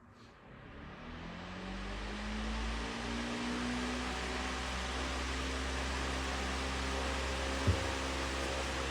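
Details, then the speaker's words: iLIVING 20" high velocity floor fan ILG8F20 test run after tightening small grille screws (earlier vibration noise came from the grille): rising hum settling into smooth steady rush of air, no rattle or buzzing; running normally. "Um the main thing is you guys are going to hear the windream um coming from the fan."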